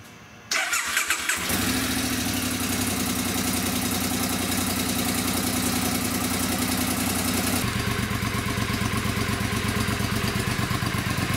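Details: 2002 Triumph Bonneville America after clutch cover gasket replacement for oil leak and TTP Safe-Start install, fresh oil, cold start on choke: catches after brief crank, steady even idle with regular beat; healthy.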